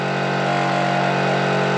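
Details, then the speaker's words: Small shop air compressor that sounds quiet when first plugged in, then develops the noise. Steady hard buzzing drone with a constant-pitch tinny rattle. Owner suspects the tank is loose and plans rubber mounts: abnormal rattling. "I don't know something's got to be loose man I got to put some rubber mounts under that it's the tank for sure"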